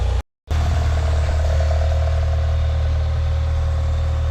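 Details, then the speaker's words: Mitsubishi Eclipse GS-T (2G) idling with a smooth, even low hum and no ticking, knocking or misses after cam seal replacement for an oil leak; the engine idles normally and sounds healthy. "so the car is running it sounds healthy sounds good"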